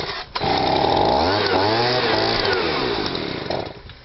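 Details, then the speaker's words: Stihl SH/BG 85 two-stroke leaf blower, cold start, primed, choke knocked off: revs with wavering surging pitch then bogs and dies; loose choke linkage choking the engine. Blower had pumped petrol through exhaust, wouldn't start or rev. "And obviously it's a cold start, but it conked out because I'll explain the reason to you in a minute, but I'll start it again."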